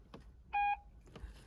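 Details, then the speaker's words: 2006 Mercedes B-Class (W245) with newly retrofitted rear parking sensors, reverse engaged with engine off: a single clean quarter-second beep as a person is detected. The sensor works normally and beeps continuously when closer. "and as I approach the car the alarm is beeping so you can hear that and that would be at a point where it beeps continuo"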